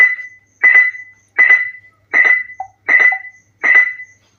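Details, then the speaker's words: SSBRIGHT Avenger SG-13B Bluetooth speaker, connected to a phone with music playing, gives only a bright repeating beep about every 0.7 s and no audio; constant beep with no audio output. "अब देखिए यहां पर music play करने के बाद भी यहां पर इसमें कोई भी साउंड नहीं आ रही है। ओनली ये जो बीप साउंड है वही आ रही है। तो यही प्रॉब्लम है इस स्पीकर में।"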